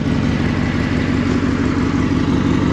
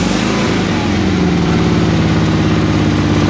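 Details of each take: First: Suburban garden tractor (1968 Hydro-Trac 12 or circa-1974 SS16) engine running after fresh gas and a 30-minute run, holding a smooth, even idle with a steady low drone and no misses; best it has run since owned; normal idle. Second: Suburban garden tractor engine on a cold start, idling on choke with a low, uneven, hunting putter that wants to shut off; cold-blooded, runs happily once warm; rough idle when cold.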